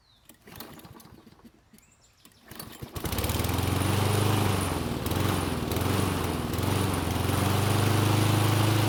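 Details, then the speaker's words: Unmaintained Toro walk-behind mower after valve clearance adjustment (intake was much too tight): fires up at a fast beat, then within seconds wavers and stumbles unevenly, engine speed unresponsive. "it only took a few seconds to go from sounding normal to whatever that was"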